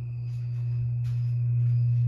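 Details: 52-inch Harbor Breeze Lakeside II ceiling fan, polished brass, before restoration, stuck on low on all three speeds: the bad capacitor is cracked and slightly melted. Loud steady low hum with faint high ringing, unchanging pitch; capacitor to be replaced.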